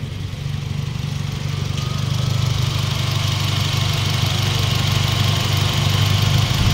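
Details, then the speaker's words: 2017 Honda City 1.5, previously noisy with AC on, after replacing the faulty AC compressor with a Japan-surplus unit, AC running: smooth, even engine note rising gently with revs, no drone or grinding; normal idle with AC on. "Ayan so sobrang tahimik na mga [Musika] boss tahimik na"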